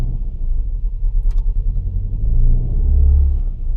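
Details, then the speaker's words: Opel/Vauxhall Vectra petrol engine with a misfire: low, lumpy idle with an uneven pulsing beat, engine struggling before reading fault codes. "you can hear that that engine is struggling there"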